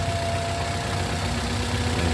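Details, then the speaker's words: 2013 Toyota Avanza 1300 cc idling with front noise complaint: steady droning growl and faint constant tone, traced to alternator — alternator bearing growl. "Oh ya ini sudah terdengar bunyi mesinnya kayaknya bunyinya by bagian alternator"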